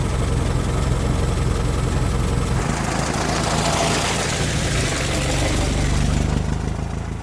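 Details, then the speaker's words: 1925 Ford Model T, electric-started on battery, speed reduced and spark advanced until smooth, then switched over to magneto: slow, even idle chug with unbroken rhythm, no rattles or misfires; normal idle. "and remember to uh reduce the speed a little bit and Advance the spark until the engine Smooths out"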